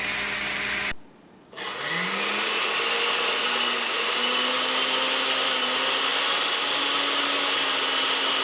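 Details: Noisy blender after repairing worn lower motor bearing and loose carbon brush holder terminal: motor spins up smoothly to a steady high whir, no rattle or grinding; sounds healthy.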